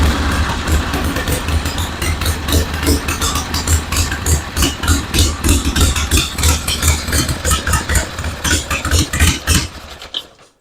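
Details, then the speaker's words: 1974 Harley-Davidson Ironhead Sportster chopper, tractor-type ignition, battery charger attached: uneven V-twin idle whose pulses stumble and drop out now and then; owner suspects the ignition is intermittently cutting out, fuel flow confirmed. "it sounds like almost like the ignition is kind of cutting out sometimes maybe it's just my ears but it just doesn't sound smooth it sounds like it's almost about to die"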